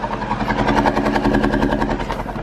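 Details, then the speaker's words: Audi A4 B8 TSI with white smoke and a strong fuel smell, storing codes for cylinder 1, cylinder 2 and random multiple misfires: a rough, uneven, stumbling idle, blamed on a bad injector. An engine mount is also bad. "so it's not just one of them misfires it's not just one of the misfire and it's been pretty much all of the"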